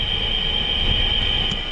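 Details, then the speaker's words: LG Multi V indoor unit leaking water in ceiling, unit turned back on: steady piercing high screech over low fan rumble from worn fan motor bearings; condensate drain pump apparently running constantly. "You hear that screeching? That's the fan motor. That's the bearings on the fan motor."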